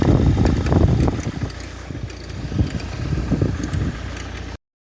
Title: Ford Focus 2003 1.8 tdci FFDA weird noise